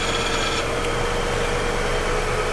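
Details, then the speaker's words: 2012 Infiniti QX56 5.6L with P0088/P0090 high-pressure fuel pump codes, idling at 27 fuel pressure: thin ticking whine from high-pressure pump quiets abruptly when its control solenoid is energized. "you heard the pump get quieter"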